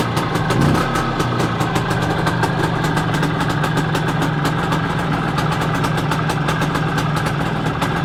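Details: Planeta 4 two-stroke after repair, all Soviet parts in the engine. Crisp, even idle with steady popping exhaust pulses and no misses or rattles; runs as it should.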